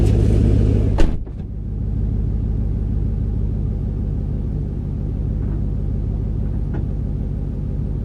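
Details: 2008 Ford Mustang GT (S197) driving after the dealer found 5 bad coils causing misfire and MSD Blaster coil-on-plug coils were installed: brief thump, then smooth, even rumble with no stumbling, sounding smoother and lighter; misfire not yet recurring.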